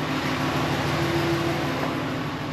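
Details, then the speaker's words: 2017 Ram 1500 5.7 Hemi after the broken exhaust manifold bolt repair and an oil change: steady, even V8 idle with only a faint normal Hemi tick, the loud click gone, no codes. Normal idle. "So start up and see what happens. Sounds like just the regular old Hemi tick now. Remember hearing that loud click? Not hearing it now."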